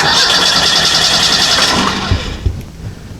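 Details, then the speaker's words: Model A hot rod coupe with a 2.3 L Ford 4-cylinder and Duraspark II ignition: the starter whirs steadily with no firing because there is no power at the coil. The ignition switch tests okay. "it's not going to start because it doesn't have it at the coil."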